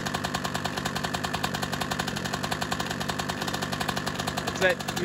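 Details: Honda CR125 two-stroke first start after cylinder rebore/replate, new Wiseco Pro Lite piston and new head: fast, even ticking over crisp idle, tracking engine speed; owner suspects big end bearing, unconfirmed.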